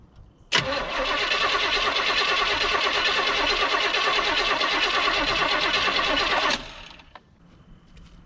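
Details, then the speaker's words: 1972 Chevy C10 crate 350 V8 that had sat for 8+ years, rear tires off the ground, gas poured in. Steady cranking at about three turns a second for six seconds with no firing; cranks but no start from no spark, and the ignition coil was found bad. "ain't got no far all right had to make a quick trip to O'Reilly's uh coal was bad on that one"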